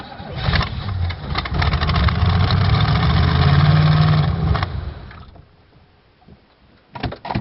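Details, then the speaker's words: 1986 Oldsmobile Cutlass Supreme, 305 ci Chevrolet V8, cold start after about 60 days parked on a recharged battery: starter churns about three beats a second for roughly four seconds before catching; extended cold cranking, and a dead cylinder cutting in and out is then suspected. "Might have ran it out of fuel. No, it sounds like it's running to me. Well, that was a cold start, but it's she's a runner."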